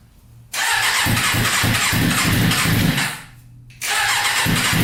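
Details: Custom Yamaha Banshee with 600cc sport bike engine swap, not run in a while, no tank fitted, choke on after freeing a leaking carburetor float: catches and runs rough at mid revs, cuts out abruptly, then restarts; stalling from fuel starvation.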